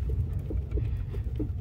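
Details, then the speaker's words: Renault Sandero rear suspension after adjustment (right side needed upper latch and bolt removed): rougher road, shaking in the trunk where recorded, deep steady rumble but no knock; quiet, fixed. "Теперь неровности стали еще более выраженными. Меня даже в багажнике трясет , но стука нет."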